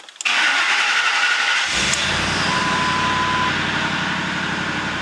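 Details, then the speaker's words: Ford Expedition after fuel gauge repair, parked on a slope with a near-empty tank: short crank, then catches and settles into a smooth, even idle; normal healthy start. "Okay, it started. Low fuel level."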